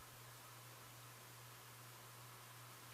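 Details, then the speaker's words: 36" Design House Carrousel top-mounted spinner ceiling fan with cane blades, on low speed after fixing the low setting by reconnecting loose wires in the switch housing: a very quiet airy whoosh with a faint, steady hum. No bearing noise; running normally. "I can hear it a little bit from the motor, but I mean it's silent. There's no too loud bearings or any weird noise coming from it."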